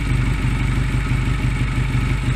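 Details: Honda Rebel 125 single-cylinder with idle speed lowered via the throttle stop screw on the carb side, slide dropping; low, fairly even putter with steady beat and no misfires.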